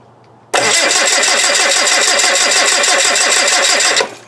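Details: TDI diesel at about -4°C, cranking current measured about 340 A: the starter spins with even, steady compression pulses about three per second, no dragging or slowing; normal, healthy cranking.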